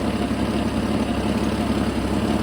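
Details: Jeep XJ just after replacing a bad fuel injector: steady, even idle with a smooth low rumble and no misses or stumbles; much smoother than the earlier rough idle.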